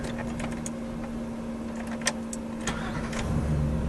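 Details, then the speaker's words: Van after starter replacement, previously clinking and cranking laggy, second start: brief quick crank with a few light clicks, engine catches promptly; starter engages cleanly, normal. "I don't know if you guys heard that, but it started up like a brand new van. I'm gonna do it again, which is probably bad for it,"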